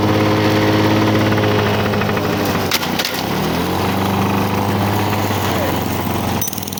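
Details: 1985 Lawn Boy 7350 two-stroke mower, revived after years outside, cutting thick weeds; steady buzz sagging as it bites into growth and picking back up; owner says real good running, though may adjust RPM a little.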